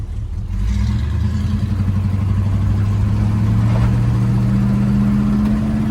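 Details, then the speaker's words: 1968 Buick Electra V8 (455 stated; listing says 430), odometer 36k, on a test drive accelerating: deep smooth rumble rising in pitch, no knocks or misses; motor pulling strong, healthy. "Like I said, motor's pulling strong, sounds good."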